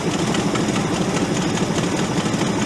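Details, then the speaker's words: Ford F800 crane truck with a formerly locked-up engine, kept running on gasoline poured into the carburetor vent and sprayed into the intake. Uneven, lumpy, shaky idle. "And then I can also spray that in there while it's running and try to keep it running. Bottle fed like a baby. Gonna smooth out?"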